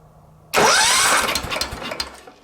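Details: Wheel Horse 315-8 garden tractor, Kohler CH15S engine, won't shut off: with the magneto primary terminal grounded and everything unhooked but the starter wire, it still sparks; sharp catch on cranking, then ragged firing fading over a second or two.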